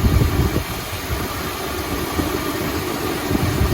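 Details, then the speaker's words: 1972 Chrysler Imperial LeBaron 440 V8, hot, idling smoothly after reconnecting number 7 plug wire; low, steady even beat on all eight; about 19.25–19.5 inches of vacuum, engine happy. "I'd say Chris's 440 is pretty happy. About 19 and a half, 19 and a quarter inches of vacuum."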